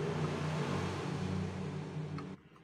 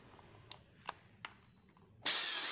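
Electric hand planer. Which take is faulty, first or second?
first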